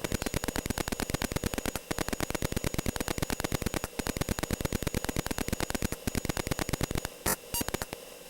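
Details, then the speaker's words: Atari 8-bit disk drive writing a graphic image under Atari DOS 2 with burst mode: rapid even train of buzzy beeps with brief gaps; writing much faster than under DOS 1, normal. "but the difference that you will see here is that writing out the disk image will be much faster"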